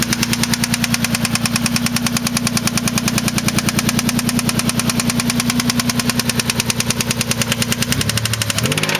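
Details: 1993 3000GT SL with 109k miles at idle: steady, hard, evenly spaced knock about three times a second, sounding like bottom-end wear; owner suspects a spun bearing, not confirmed.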